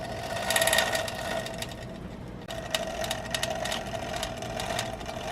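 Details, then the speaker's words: Toshiba SD-2800 DVD player (2002) trying to load a self-burned disc, stuck on loading. An irregular ticking rattle sits over a motor hum that rises and falls in pitch: the disc drive rattles at uneven speed, and the owner suspects a bad motor controller or power supply. "you can tell the motor speed is kind of uneven it's kind of revving up and down you know that could indicate uh bad motor controller or maybe even something bad on the power supply"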